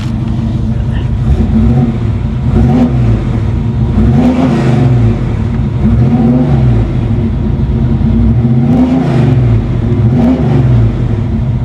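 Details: 1994 Chevy C1500 with a 383 V8 and 700R4 transmission, idle just turned down at its first start: a deep, even V8 burble with a few quick blips that rise and fall cleanly and settle, sounding healthy.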